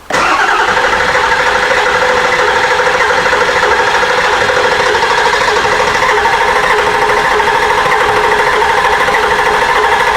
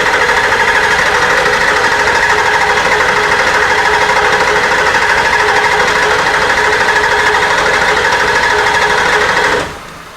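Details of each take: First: Ford F250 7.3 Powerstroke diesel after replacing injector cups, injectors, glow plugs and water pump: long, steady cranking without firing because the drained high-pressure oil system must refill and build pressure. Extended cranking, hard start. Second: Ford F250 7.3 Powerstroke diesel after injector cup, injector, glow plug and water pump replacement for fuel in coolant: quiet, even idle clatter with no knocks or misses, with air still in the fuel system, until shutdown.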